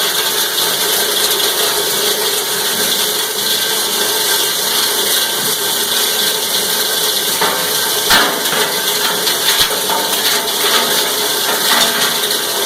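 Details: Cumberland 7.5 hp granulator, 12x12 cutting chamber, grinding PVC (Schedule 40 pipe, P-trap, fittings): steady hard chatter and crunching of plastic chips, even load, no labouring or knocks; normal granulating.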